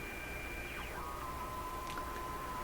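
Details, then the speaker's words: Tube AM radio during IF alignment with sweep generator, run at reduced 105 V mains, strong signal injected near 850–875 on dial; steady high whistle near 1 kHz over hiss with second tone gliding down; heterodyne whistles from mixer tube, unexpected. "Why is that? Well, you get heterodynes because of a combination of two frequencies being mixed within some kind of nonlinear device. And that's exactly what the mixer tube is."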